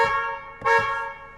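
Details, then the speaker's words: 2011 Hyundai Sonata after a clock spring replacement: two clear, strong horn blasts with a steady tone. The horn now works normally, though the airbag light returned. "All right, great success."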